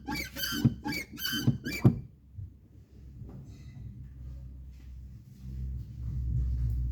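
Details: Volkswagen Polo TSI 1.2, three sharp high squeaks in step with each clutch pedal push over quiet cabin hum; persists after lubricating all external pedal and engine-bay linkages; cause still undetermined.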